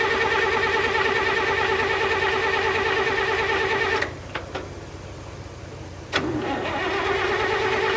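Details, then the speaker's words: International 656 tractor, long sitting, no battery, on a jump pack that drops to 9 volts: even starter cranking at about three turns a second that never catches, then retries; hard starting from a stuck carburetor float. "The carburetor real quick, and the flow was stuck. Now it's stuck in the opposite position."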